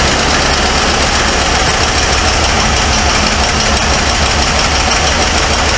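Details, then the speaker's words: 1978 Ford Mustang II 302 V8 at idle after revival: busy idle with faint fast tick in the clatter; owner suspects a collapsed lifter letting the pushrod slam against the rocker. "a yeah it's got a bad m in it I believe it's got a li m uh have been collapsed if you can hear that ticking sound there might be the push rod that's uh slamming Against The"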